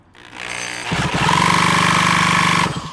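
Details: Yamaha KT100 100cc two-stroke go-kart engine on a mini bike, on 20:1 fuel mix. About two seconds of quick, even cranking that never fires. A spark check then finds no spark (plug or something else suspected); the plug is wet, so fuel is getting through.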